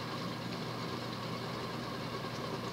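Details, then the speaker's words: Hunter Embassy 42" ceiling fan, model 25644, made 1988, 172x12mm motor, running at an estimated 240–250 rpm: steady, even rumble with a gritty rushing undertone from ridiculously loud worn bearings, not hissing, which will need replacing. "those bearings are ridiculously loud at least they're not hissing"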